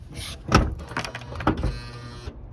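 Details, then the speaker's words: Honda Odyssey/Accord: doors lock and unlock but alarm won't arm; quick lock-motor clunks, no alarm chirp. Suspected main control switch or hood latch switch, hood switch to be cleaned first: alarm not arming. "Okay, my car will unlock, lock, but it's not arming. The alarm doesn't make like bang. It's not arming."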